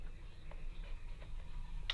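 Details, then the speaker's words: Faint, irregular clicks over a low hum, ending in one sharp click: the thermostat of a near-new fan heater switching normally, while the heater otherwise does nothing and has an internal rattle. "There. I can hear that clicking."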